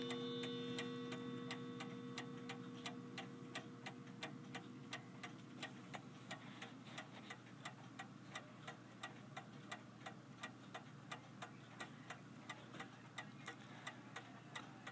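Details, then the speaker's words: F. Kroeber 1874 cast iron clock after cleaning, not run in years; ran all day then stopped at 5 a.m.: crisp ticking about three beats a second, tick and tock uneven, seeming to speed up and slow; beat suspected off. "I'm not too entirely sure about the beat on this clock. It sounds like it's not quite right, but it ran yesterday for a long time and it stopped at 5 a.m."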